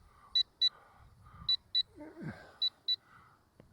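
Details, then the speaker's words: LSRC KS66 brushless optical-flow auto-hover drone, 205 g, flying in high rate into gusty wind: pairs of high, clear beeps repeating about every second, the telemetry low-battery warning giving about two minutes' notice. "now that's you hear that beeping that is the um Telemetry warning it gives you about a two- minute warning when the battery gets low"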